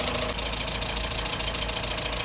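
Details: Mazda Miata after new thermostat, fuel pump, fresh gasoline, new radiator and hoses with new coolant: steady busy idle with even patter and light ticking on top, no misfire or stumble; engine running fine after first restart.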